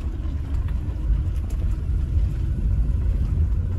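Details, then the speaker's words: Renault Zoe, 5AQ motor, just over 68,000 miles, recorded with the window down while rolling slowly forward: deep hollow rumble with faint rough scraping, early signs of traction motor bearing failure. "and it is that kind of hollow Rumble noise um let's just go back once again yeah so that kind of um yeah Rumble scraping kind of noise um that is the early signs um of motor bearing failure"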